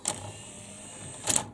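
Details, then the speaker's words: Memorex CD 5400 CD player, top off: two crisp mechanical whirs as tray slowly comes out and goes back in, catches cleanly with no grinding; normal tray operation. "it just sits very slowly comes back goes in catches it out okay so that's seems to be as you can see working okay"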